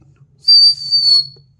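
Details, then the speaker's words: EVAP canister purge valve with air blown through it by mouth: clear, high, steady whistle lasting about a second; valve passing air normally. "get okay it's a good sound whist"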